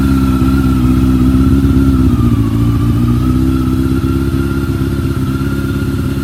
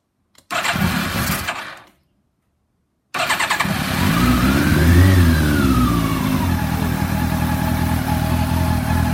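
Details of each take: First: Bimota YB8e motorcycle (probably built around 1995–98), first start-up after setup with choke on and freshly primed carbs: steady but slightly lumpy fast idle that dips and recovers. Carburettors are unbalanced and need synchronising. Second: Bimota YB8e first start-up after rebuild, fuel primed, choke on: fuel pump clicks, starter cranks briefly, then the engine catches into a steady, slightly lumpy fast idle; carbs not yet balanced; starts cleanly.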